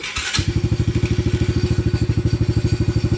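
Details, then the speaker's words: Venom 125 quad that has been banging and missing, black old oil, after spark plug check: single-cylinder thump, uneven and stumbling, running rough and missing. Owner suspects carburetor, plugged fuel pump filter, or needing warm-up; unconfirmed. "carburetor maybe again or the fuel pump filter may be [Music] plugged or it just needs to warm up"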